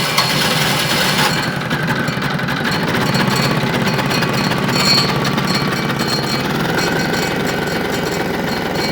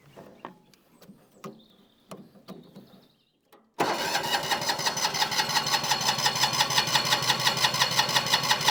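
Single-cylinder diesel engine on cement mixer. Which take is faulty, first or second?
second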